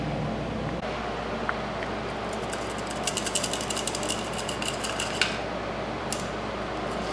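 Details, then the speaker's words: Subaru BRZ/FR-S/GT86 clutch throwout bearing, removed with the transmission out and spun by hand: a dry, gritty ratcheting rattle. The bearing is worn out, per the owner a known failure around 50–60k miles, and is being replaced. "we got the piece of throw out bearing out and yeah you can tell that the bad and you just hear it yeah so you can tell it's worn out"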